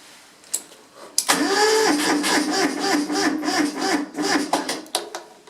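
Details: Kubota B7001 diesel tractor, unused about two months, about 10 °C, in neutral, battery charged but possibly weak: catches after uneven puffs, settles into rough steady beat; hard cold start, owner blames the cold.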